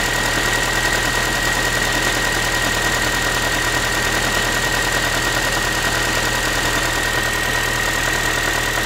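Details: Ford Focus 3, 1.6 (125 hp) engine at cold idle after a cold start: a constant tinny, clattery pan-like rattle of roughly two to three beats a second over the idle; cause unclear, owner asking what it is.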